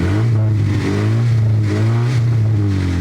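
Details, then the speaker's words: Honda Civic project flip car given small revs: deep low rumble with coarse, uneven blips rising and falling; sounds awful, rough engine, cause unclear. "sounds God awful may God help us"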